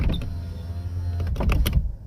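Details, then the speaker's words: Nissan 370Z after battery replacement: steady low motor hum as the window glass travels smoothly, then firm thumps at the stop; power window working normally after auto up/down reset. "now push it down and push it up there you go see now it's working and that fixes that"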